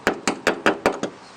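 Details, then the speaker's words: One-owner 1992 Ford F250 XLT, 460 automatic, 92,000 miles, knife tip tapped on metal: six sharp, crisp, bright taps with no dull thud; solid metal, no rust-through. "you can listen to that metal it's nice and solid"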